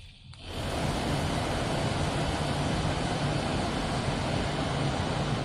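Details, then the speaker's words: 1969 MGB heater blower motor, off the road since 2001, bench-run after shaft lubrication; steady, even whir with a faint low hum, no squeal or grinding, much quieter than before. "It's a lot quieter than it was. Now we've lubricated that a little bit, let's put a little bit more oil in there."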